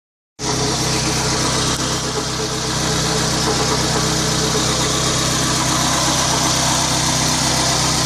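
Steady idle with a constant hissy, whirring noise riding over the engine; something is off up front, maybe the water pump, unconfirmed.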